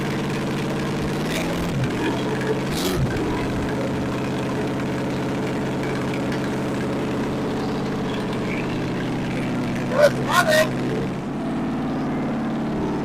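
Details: 1964 Chevy 283 small-block V8, fresh budget rebuild with DIY porting, on a test stand: even steady warm-up idle with a mild throttle change early, no misfire or knock.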